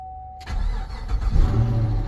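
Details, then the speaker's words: 2010 Chevy Camaro SS V8 after DIY fuel pump replacement: short crank, catches almost instantly into a strong even rumble; clean normal start. "Even though like I did hear it before I hit start on the camera. See, that's what it's supposed to do."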